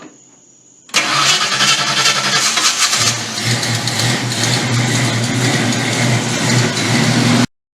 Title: hard start